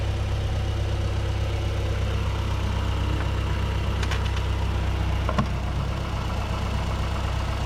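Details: 2008 Mazdaspeed 3 turbo petrol idling after CorkSport high-pressure fuel pump internals install, before road test: deep, even idle with a steady low drone, no misses or knocking, a couple of light background clicks; healthy.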